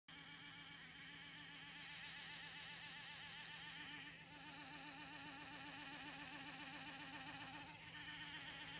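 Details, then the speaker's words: 1954 Westclox Orb electric clock: a thin, steady electric buzz with a fluttering warble that rises and fades from the rotor motor. It was present since purchase and sometimes goes quiet for a while; the cause is unknown. "Yeah, this is a strange thing that's happened to my Westclox orb from 1954, and when I bought it, it was doing this."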